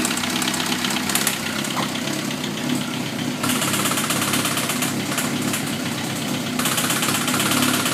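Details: Suzuki GSX-R1000 with 33,000 miles at idle, no FI code, 175-180 psi compression on all cylinders, leakdown negative; fast, uneven light ticking from the head that swells and fades; owner suspects valve train, cause unclear.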